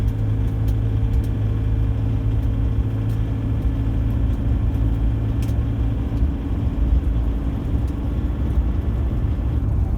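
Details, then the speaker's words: Diesel run cold for about a minute, 1,500 rpm at very light load on back streets: light, scattered rattle like marbles on the pistons over a low drone. It goes away once the engine warms up. "the rattle like there's marbles on the piston that's 1500 revs very light load then just been running about one minute just driving around in some back streets"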